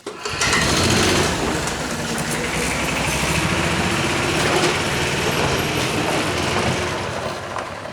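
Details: Club Car golf cart, small single-cylinder engine, revived after sitting four years in a barn: steady busy drone holding pace as the cart moves off in forward gear under its own power, running healthily.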